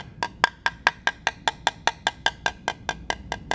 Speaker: a thuddy kind of sound as opposed to something that's high pitched and again i'm in an area now where there's delamination right